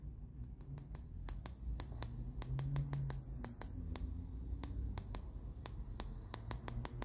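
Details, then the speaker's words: Sugarcube SC-2 Plus with no input and output feeding a Sansui AU-919 amplifier: crisp, clock-like clicks about three per second over faint hiss, in the left channel only; unexplained ticking fault. "not in the other channel only in one channel so there you go obviously this is a gigantic fly in the ointment"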